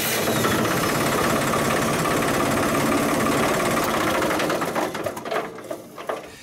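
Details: Tractor (model 5045 II) diesel starting after replacing blown 10 A starter relay fuse and disconnecting the thermostat sensor: cranks, catches and settles into an even clatter; clean healthy start.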